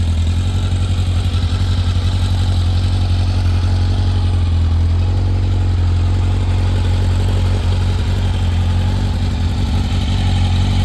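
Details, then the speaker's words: 1986 Kawasaki Ninja 1000R, a garage-kept find revived with a new 30 A main fuse and Seafoam in the fuel. Smooth, even four-cylinder idle with a steady low hum and no knocks, misses or rattles; it sounds healthy. "Let's fire it up. I mean, that thing fires just as good as my V65 Sabre."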